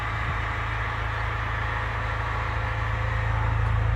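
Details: Chrysler Grand Voyager, 62TE automatic transmission, 51k miles: a low hum under the engine with a faint constant whine from the transmission, fixed by a filter and fluid change; excess sealant from earlier work is suspected of clogging the filter.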